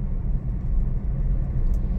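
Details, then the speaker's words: Honda Mobilio on asphalt, rolling over a bridge joint. Only a steady low road rumble is heard, with no clunks or rattles. The suspension is quiet. "ini di sambungan jembatan nih tuh aman ya aman Sudah gak ada suara"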